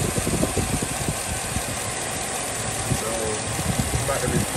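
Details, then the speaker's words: 2007 Chevy Tahoe at idle, code P0307: engine shaking with uneven lumpy thumps from misfire on cylinder 7; persisted after new plugs, wires and coil; caused by collapsed AFM lifter, fixed by releasing lifter, modifying VLOM and deleting AFM. "so just looking at my engine you can see it just sitting there just shaking uh it should not be running like that this is a misfire cylinder seven"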